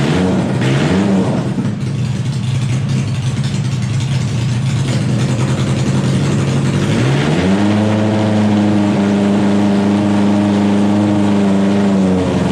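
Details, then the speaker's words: Wheel Horse pulling tractor just after a fuel system upgrade with a new welded aluminum tank and fuel lines, fuel pump primed, running indoors: loud, steady drone at fast idle, then steps up and settles at higher revs; runs cleanly. "Now we can fire this up. I'm not going to run for too long because it's pretty loud in here. Just get ready, this thing's loud."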